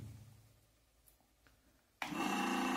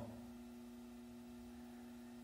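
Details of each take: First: Ventisol electric fan brought in for noise and a blade that would not turn: motor hums with a light rattle and irregular knocking while the blade does not spin; the blade is loose on its shaft because the piece that holds it is missing. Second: Ventisol fan brought in for noise and a seized blade, found missing the blade-locking part: motor runs at speeds 1-3 with steady low hum, soft constant tone, no rattle or rubbing; motor mechanically normal.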